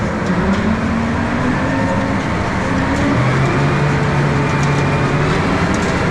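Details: John Deere tractor driving silage harvester at 1000 PTO speed, test run before first-cut silage: steady even drone with no knocks or rattles standing out; normal running.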